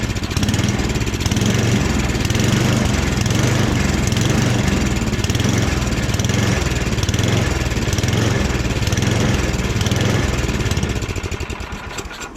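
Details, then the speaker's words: Rebuilt snowblower engine at its first start, kept choked, then given more throttle: it chugs unevenly, hunting and stumbling. Runs rough; owner suspects it needs more choke. "Oh, maybe she needs a little choke in her life."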